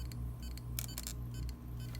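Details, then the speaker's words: Hard drives connected through a USB adapter to a Windows 7 PC, with nothing appearing on screen. A quiet spin hum broken by sharp, irregular clicks, a few per second, and the drive never settles. The hard drive has failed. "i don't know you can hear but it has a like a clicking and um and not nothing shows in the screen so that means the hard drive this hard drive is not good anymore"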